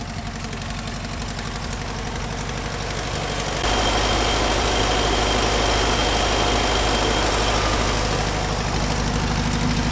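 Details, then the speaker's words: 1972 Volkswagen Transporter T2, air-cooled engine fully restored with new pistons, rods, crankshaft and carburetor: even, steady idle stepping up slightly in speed; runs smooth and healthy. "Here is the engine. It has been completely restored. Inside, pistons, rods, crankshaft, carburetor, everything is new. I'm gonna fire it up so you can hear it."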